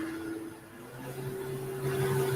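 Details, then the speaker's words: Woodturning lathe spinning a square face-grain bowl blank at 2000 rpm: steady motor hum with an airy propeller-like whoosh from the blank's corners cutting the air, rising slightly; normal at speed. "hear the propeller sound going so we're at 2000 rpm we'll start there"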